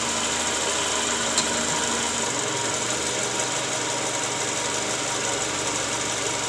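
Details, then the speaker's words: Toyota Camry 2JZ engine at idle after replacing the balancer shaft and balancer bearing set: smooth, consistent idle with a settled hum and no knock or shudder, much smoother than before; earlier roughness came from worn balancer bearings, likely from incorrectly torqued balancer shaft bolts. "ya sip oke Guys Jadi sekarang suara mesinnya jauh lebih halus ya dibanding awal sebelum kita ganti balancer shaft dan juga metal ya"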